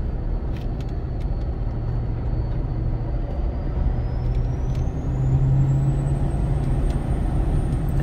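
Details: Ford 6.7 Powerstroke with MPD compound turbo kit, heard in the cab with windows up, pulling uphill to 43 psi boost: a high whistle holds, then climbs in pitch over the deep diesel drone; healthy compound turbo.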